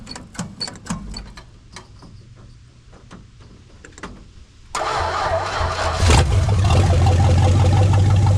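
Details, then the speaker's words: Plymouth Duster with 904 transmission, transmission refilled, carb untouched and timing unset, still pretty cold: clicks, catches quickly, settles into steady even cold idle, no misses; power steering pump makes a little weird noise; healthy engine. "Still pretty cold, but listen to that thing purr. Power steering pump makes a little weird noise."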